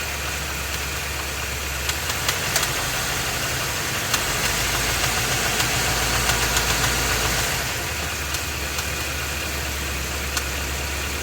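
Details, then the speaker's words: Ford F250 with the 7.3 L Godzilla gasoline V8 at idle, phone under the truck, AC off, then in gear against the brake with a little gas: fast, even tapping over the exhaust, an internal engine knock. "here's a video of the noise right now it's just idling I'm going to put the phone under here and then give it some look give it some load hold the brake put it in gear give it a little bit of gas air conditioner is off"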